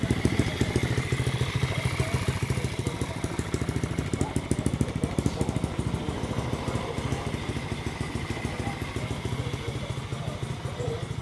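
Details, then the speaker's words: Rebuilt 125cc-swapped Chinese pit bike (new cylinder and piston) idling outside to heat up the muffler: steady, even thumping idle, deep mellow exhaust note, no misses or mechanical clatter; healthy engine, much better sound. "God, it sounds so nice. So much better."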